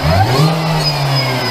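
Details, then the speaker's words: Mini Cooper S supercharged engine warming up to temperature after track build (smaller supercharger pulley, supercharger service, new intercooler): strong steady low note, slight rev rise, faint high blower whine; smooth and even, healthy. "So we've got the mini back together. Looks alright actually. Just letting it run up to temp. Sounds good."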